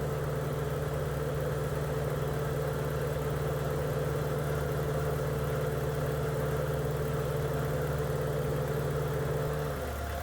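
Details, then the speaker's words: 1983 Porsche 944 project car idling steadily and smoothly, no longer shaking, cooling fan whirring then cutting out near the end; owner thinks the idle air control valve has a slight problem. "the engine's sounding pretty good. And in a minute, you'll hear the fans turn off."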